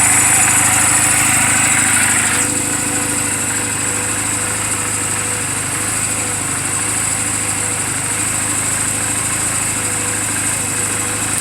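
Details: 2007 Honda Rebel 250 idling after the owner's own valve clearance adjustment, offered as a reference for others checking theirs; steady, even smooth fast patter, no misses, hunting or valve tick. Normal idle.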